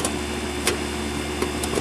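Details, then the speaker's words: Home air conditioner condenser after replacing the capacitor (it had hummed and needed the fan pushed to start): steady low hum and fan whoosh with the compressor running, no buzzing or stalling. "It sounds like the compressor. I can hear it down there, I think. Anyhow, I'm going to call this a success."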